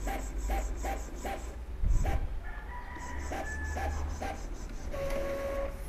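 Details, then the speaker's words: Epson L3210 printing after initial ink charging is completed: printhead shuttles in quick regular swishes with soft paper-feed whirs and no grinding. Normal printing, and the warning light went off. "kita tekan tombol ini supaya dia akan melakukan print ya. Dia sudah melakukan print"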